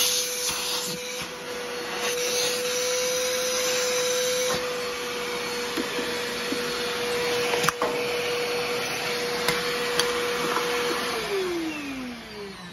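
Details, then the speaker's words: Trash-picked older-version Bissell PowerForce Helix Turbo 68C71 vacuum, musty mildew smell, gash in hose: high steady motor whine with scratchy rattle, then winds down at shutoff; has suction but motor runs rough, owner suspects it needs a simple motor cleaning. "does have suction doesn't sound the greatest but it I think it's doable I'll do have to I'll have to do a little bit of motor work to it"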